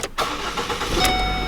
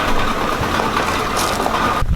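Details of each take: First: Ford Focus after replacing/re-welding an engine mount and fixing the transmission mount: engine starts cleanly and settles into an even idle, cabin no longer rattling, mounts holding; normal start and idle. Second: Another car, not the Focus, on a cold start, visibly leaking fuel; just after start-up the idle is lumpy and uneven with irregular low thumps, the engine running rough.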